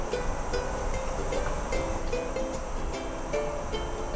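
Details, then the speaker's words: Camper-van DIY 12V system, step-up DC-DC converter fed about 13.86V: thin, steady, very high-pitched whine, suspected converter coil whine; whine stops when a load is applied but output voltage drops. "これなんでこんな音すんねやろうるさいな負かけてみようか負かけたら大丈夫かなあフかけたら音は止まるね"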